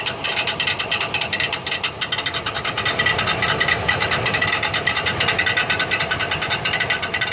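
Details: 1999 Chevrolet Silverado 1500 4.8 4WD cranking: rapid, harsh metallic grinding and clatter, two or three hits a second, as the bad starter Bendix drive bounces off the flywheel.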